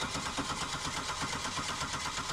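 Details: 1998 Buick LeSabre with VATS resistor key; spraying starting fluid didn't help. Starter spins the engine in an even, quick churning rhythm but it never fires. Crank, no start.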